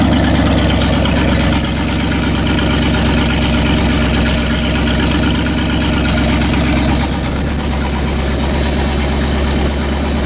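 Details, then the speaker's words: Rebuilt Pontiac 400 V8 on homemade run stand, break-in after earlier flat-tappet cam and bearing failure: steady even idle, regular low beat, no knocks, misses or ticks; running healthy, only valve cover oil leaks. "great success ha Pontiac is behaving itself that is good news"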